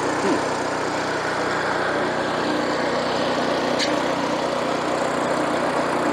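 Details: Free rototiller small engine started on full choke; steady, buzzy drone with no surging or stumbling, holding an even idle and sounding healthy.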